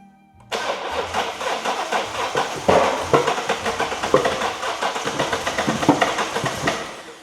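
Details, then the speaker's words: First Coyote V8 swap into a Mustang, engine cranking: sharp irregular pops and coughs spitting back out the intake, won't run; cam timing 180° out despite manual check, scope suggested timing off. "That's popping out the intake. How could it be out of time? We doublech checked."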